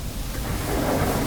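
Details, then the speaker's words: Whirlpool dishwasher after repair for not cleaning well, now filling about four times more water, up around the heating element; deep, steady rushing water with strong churn, stronger than before, no grinding or buzzing; normal wash circulation. "we can hear that it's just a lot stronger sound so we'll go ahead and put the front panel back on"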